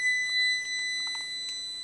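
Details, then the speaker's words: Digital multimeter on the ohm/continuity setting with probes touched together, before testing a Snapper mower's OPC switch. Steady high clear beep for about two seconds, showing good continuity. "When you touch these 2 probes together, it's supposed to make a noise."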